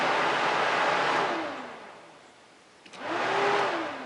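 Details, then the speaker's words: Honda Foreman ATV cooling fan: whooshes, winds down to near silence, then clicks and spins back up when the fan control module is wiggled; relays click inside, pointing to a bad internal connection in the potted module. "I hear the relays inside this thing clicking too. So it's just a bad connection inside this module."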